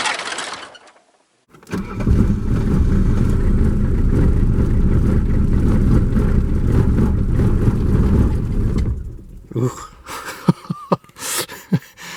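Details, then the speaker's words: 1979/80 Mercedes-Benz 300 SD scrapyard diesel, first start after long sitting: catches with an uneven, lumpy beat, then fades out into clunks; rough start. "Oh, we gotta shut the key off and turn it back on before it'll... Now she's just farting and kicking here."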